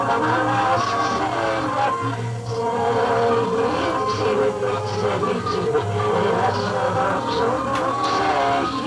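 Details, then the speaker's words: 1958 Philips EL3516 tube tape recorder playing an old tape at 3¾ ips: music with smeared swelling notes that sound backwards; reversed audio, tape likely stored tail-out. "obviously there is something on the tape sounds like it's playing backwards"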